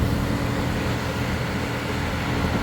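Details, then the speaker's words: 2003 Porsche Boxster idling warm during a coolant leak hunt, fan shroud removed, radiator at temperature; steady, even rushing drone of the radiator cooling fan with idle beneath, no rubbing or ticking, normal fan operation. "but you can hear the fan running now so this radiator has gotten DET temp"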